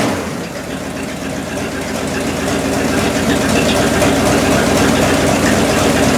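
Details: 1972 Cadillac Miller-Meteor hearse V8, abandoned since 1995, first brief 15–20 second start in 29 years on 91 octane poured in the carburettor bowl after setting timing: steady, even rumble building slightly then holding, smooth idle without knocks or misses.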